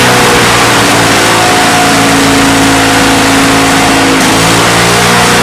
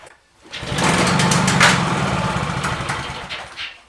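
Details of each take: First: Salvaged, neglected Victa Mustang 20 two-stroke lawnmower after refuelling, primed and pull-started: a strong, even two-stroke buzz that revs up and settles with no misses, running, though some smoke and possible remaining issues. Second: Discarded, neglected Victa Mustang 20 two-stroke lawnmower with a replacement carburetor, fuel flowing, primed three times, pulled at mid throttle: it catches, buzzes raggedly about three seconds, then fades and dies, sputtering and not staying running.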